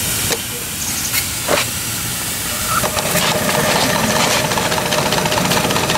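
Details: 7-1/2 gauge Clishay live steam logging locomotive, first run in a year, boiler hot, running forward and reverse: steady steam hiss with soft, even chuffs about two and a half a second, no knocks or clanks; normal running.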